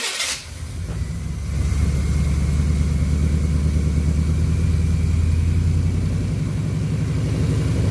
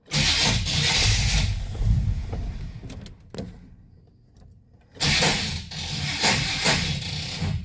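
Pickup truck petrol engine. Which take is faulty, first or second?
second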